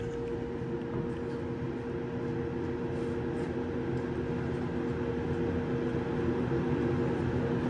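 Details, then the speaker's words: Hoffman weatherized enclosure HVAC heat pump, cabinet 3, cold December, heat circuit, cabinet door closed: soft even mid-pitched hum with no knocks or rattles; heat pump compressor running normally. "And I can make out the noise of that heat pump compressor for the heat circuit."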